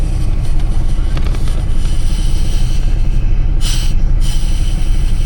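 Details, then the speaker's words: Chevrolet S-10 Blazer 4.3 4x4 running: engine rumble with a brief airy hiss as the brake pedal goes down, heard while driving too; vacuum leak at the brake booster. "You hear it? It's a vacuum leak at the booster."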